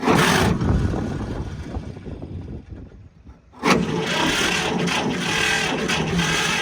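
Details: John Deere 60 antique tractor: starter struggles briefly (starter has known fault, needs repair), then engine catches and settles into a steady, even low-speed idle outdoors.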